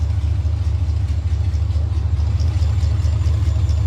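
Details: 1996 Impala LS swap with a 5.3 and 4L60E, formerly a no-start and now running: a deep, steady low burble at about two beats per second with no misses or knocks, a normal idle.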